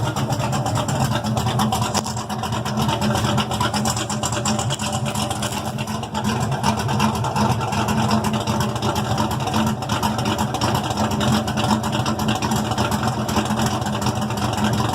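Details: Ford Maverick V8, exhaust straight 10-inch pipes off the header collector kicked out sideways, no mufflers: loud rough rev and drop with sharp pops on overrun; backfire is normal for this car.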